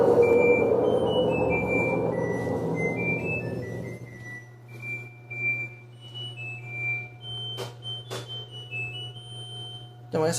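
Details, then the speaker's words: LG washer-dryer with good bearings spinning at 600 RPM. After the noisy blown-bearing machine cuts out, it runs quietly with only a low steady motor hum. "essa aqui está a 600 RPM, bem silenciosa. Dá até para aumentar a rotação dela e o barulho não vai incomodar."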